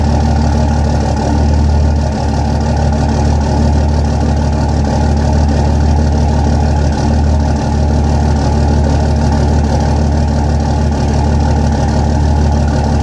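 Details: Idle holds a steady drone but keeps dipping unevenly every couple of seconds, like a cylinder missing; rough idle, possible bad injector, cause unconfirmed.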